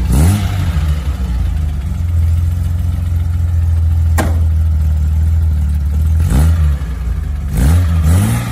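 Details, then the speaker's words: 1972 Datsun 240Z warm idle after fully pushing in a choke that had been left slightly pulled, which floods a hot engine: steady, even low burble with clean throttle blips settling straight back; runs smoothly. "Tirador de aire que lo tenemos justo aquí, se había quedado ligeramente accionado y bueno, cuando un coche está caliente el aire hay que retirarlo por completo, si no se ahoga."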